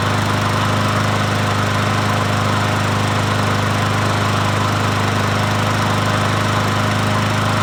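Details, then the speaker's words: Troy-Bilt push mower, 550EX single-cylinder engine, after a cylinder head swap for a stripped spark plug hole and a valve cover leak fix. Steady, even putter at constant throttle with no misses or knocks; runs normally. "But anyway, we'll start it up."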